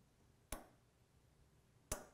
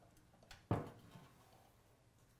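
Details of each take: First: Early Ford Falcon horn relay, grounded to sound the horn with 12.43 V measured at the horns: two crisp single clicks about a second and a half apart on a quiet bench; the relay works fine. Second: Early Ford Falcon horn wired straight to the battery and grounded to its chassis: only a few faint isolated ticks and no tone. Adjusting the center contact point changes nothing, so the horn is probably worn out.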